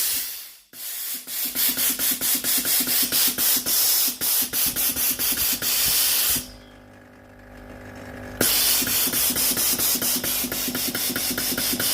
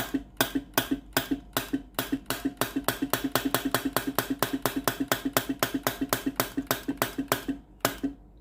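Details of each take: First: Philips GC9622 steam iron after solenoid water valve repair and reassembly, water supply button pressed: strong steady hiss with quick even pump ticks, a little over two per second, brief pause then resuming; normal steam output. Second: Philips GC9622 steam iron with no steam, test pipe connected at the solenoid water valve outlet: crisp, even valve-coil clicks about four a second with no steam hiss behind them; no steam at the pipe, faulty solenoid valve.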